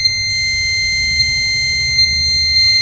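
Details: Microtek Super Power 912 12V inverter on mains: steady high-pitched continuous buzz.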